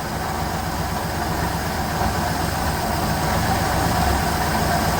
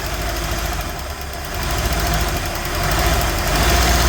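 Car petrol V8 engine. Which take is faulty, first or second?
second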